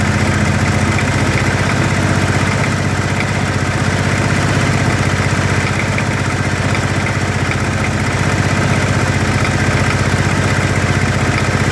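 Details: 2013 Kawasaki Teryx FI 4x4 LE side-by-side idling with a loose, uneven knock about three times a second. The owner is unsure whether it comes from the engine or the clutch.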